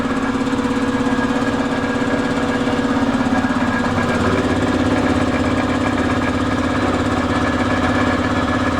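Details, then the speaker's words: Fast, fairly even light rattle about three per second over a steady mid-pitched engine drone, heard from one side of a mobile welding shop trailer being vented; source unidentified. "something's got a little bit of a rattle to you hear it come that side"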